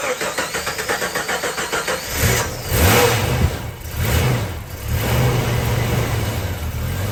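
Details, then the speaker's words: Jeep being jump-started with a DeWALT DXAEPS14 jump starter pack: long cranking at about four pulses a second before catching, then idle surges and sags unevenly; reluctant to start and idle. "so you can see how reluctant this Jeep is to start an idle"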